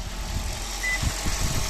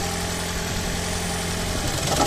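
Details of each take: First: 2012 Toyota Auris Hybrid engine running in maintenance mode after a DIY fix of the engine rattle/shake a garage couldn't cure; low, even engine pulse with no rattle or knock, healthy and steady. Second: 2012 Toyota Auris Hybrid petrol engine idling: a low droning hum with an uneven, rattly undertone, the "death rattle" engine shake. A garage could not fix it; the cause is not confirmed.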